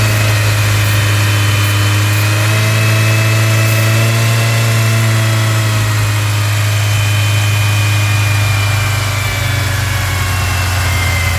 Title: massive vacuum leak on 99. Ford ranger 2.5 July 5, 2024